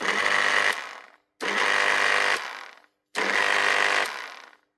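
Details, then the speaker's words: Makita HR2450 SDS drill with a burnt out motor, before the armature (517375-5) is replaced: three short runs, each a strained high whine with a crackly sizzling hiss, sounding like it is struggling. "can hear it cooking inside. When it's running like that, sounds like she's struggling. It's a burnt out armature."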